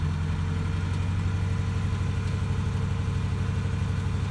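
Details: 2018 Ford Mustang GT at idle: even rumble with light rapid ticking rattle about three per second, steady throughout; dealer held it 10 days awaiting Ford's answer, source not pinned down.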